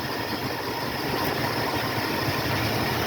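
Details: 1976 Ford F-150, Motorcraft 2100/2150 carburetor, hot engine, idle mixture screws set for highest vacuum: steady, even idle with low rumble, no misses or hunting; normal idle.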